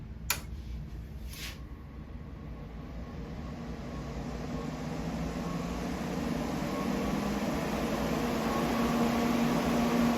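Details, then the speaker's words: Vulcan ProTig 205 TIG welder just switched on: a switch click, then a steady, fairly loud cooling-fan whoosh that builds and settles into an even hum. Normal cooling fan running. "Yeah, the fan's a little loud when it's running."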